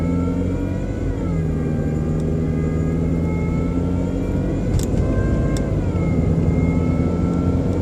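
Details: BMW 120i E87 idling: thin motor-like whine shifting slightly with revs, seemingly from behind the airbox; oil change did not cure it, cause unknown.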